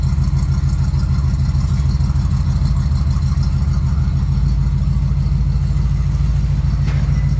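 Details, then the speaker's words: Carbureted Bombardier snowmobile, after repairs: starts easily and idles around 800–900 rpm with a smooth, steady low rumble, even beat, no knocks or misses. "We'll see how easy it starts. Screen to light up. Yeah. That's how easy it starts with a carburetor. No screwing around."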